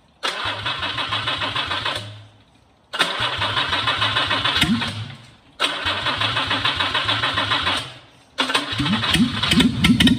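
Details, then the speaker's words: Jaguar 420 straight-six engine, 56,000 miles, stored since the 1980s, running on a test rig after engine and gearbox repairs: it fires in short bursts with an uneven, lumpy idle beat, not running perfectly; owner suspects an air leak on the rear carburettor. "I think I might have an air leak on one of the on the rear Cal it it's just not running perfect but anyway it's running good enough for you lot"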